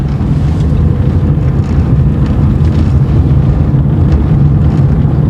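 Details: 2012 Chevrolet Corsa in fourth gear at about 20 km/h on a straight: steady low road rumble with no clicking or knocking from the front wheel, which had been popping even in neutral.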